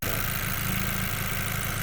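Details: 2020 Chevrolet with lean fuel-trim codes from a vacuum leak traced to a loose air box: steady, even idle with smooth low drone, no hiss or stumble once the air box is held down; normal idle.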